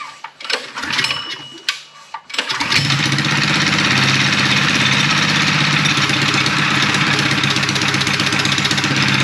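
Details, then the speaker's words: Mini chopper single-cylinder engine with new stainless exhaust, custom intake and VM22 carb not yet rejetted, governor still fitted, started on choke; steady, even putter about four beats a second, quieter than expected; normal running. "but uh yeah definitely has a room to go in but I like it it sounds good it's not that loud I thought it was going to be louder"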